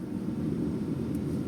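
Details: 2010 VAZ 2110, gas/petrol, 128,000 km, cold-started: heater blower gives a steady even rush of air with a low hum and no rattle or squeal; normal operation.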